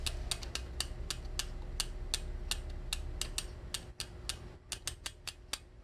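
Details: New 8-speed road bike, front inner chainring and outermost rear sprocket, derailleurs correctly set: light sharp ticks about four a second, unevenly spaced, as the chain brushes the next cog over; harmless, expected to fade as parts bed in.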